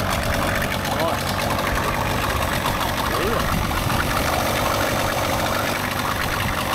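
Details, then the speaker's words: 30 hp two-stroke outboard, barn-stored for years, after replacing an internally shorted spark plug: soft, even burble at low idle, no misfires or stumbles; runs nicely and quietly. "oh that runs beautiful M that sounds perfect actually it's nice and quiet for a two stroke as well so yeah it was just that spark plug shorting out internally"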